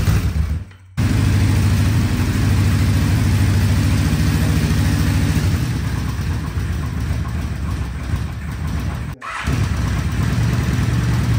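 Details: 1975 Honda CB550 four-cylinder motorcycle, first start after 10–20 years parked, all four carburetors dipped and cleaned; catches after a second of cranking, runs lumpy and uneven, missing a beat; one cylinder not firing, fuel starvation.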